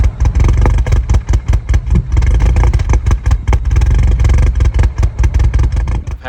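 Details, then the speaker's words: Turbo R56 N14 Mini Cooper S at idle: low idle stumbles and surges unevenly about twice a second; long-running idle problem that live data at a specialist traced to a failing high-pressure fuel pump, before replacement. "idle issues for a little while now I'm trying to track down exactly what the problem was and I was able to take it to a local Mini specialist and he was able to plug in and look at live data and tell me definitely it was the high press fuel pump"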